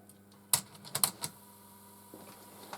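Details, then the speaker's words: Sharp clicks of the transport keys, then a smooth steady whir as reels fast-forward on a TEAC RH500 cassette deck with auto cassette load, whose transport belt had come off; working properly. "Yep, it's doing something. Okay, fast forward."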